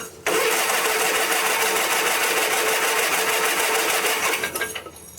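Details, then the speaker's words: 1980s Sunstar vintage riding mower after starter solenoid replacement, choke on but apparently not working, fuel just coming up: fast hissy starter churns about four seconds with no firing; cranks but won't start, may need priming. "we might have to prime it I see some fuel coming up now"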